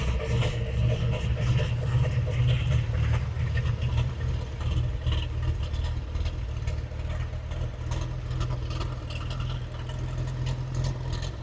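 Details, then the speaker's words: 1915 Scripps-Booth Vitesse V8 race car, about 100 miles on the rebuilt engine, just crank-started at baseline before Zenith carb tuning: a fast, lumpy, lazy idle with black smoke; extremely rich idle mixture. "definitely jumping up of course really rich yep uh we're seeing a little black smoke coming out too so that's extremely rich"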